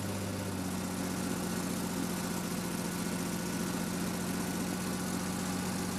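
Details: REO M-35 truck after head gasket replacement, very cold start held on a little throttle: low, steady idle with slightly uneven beat, no knocks; slight idle trouble while warming is normal.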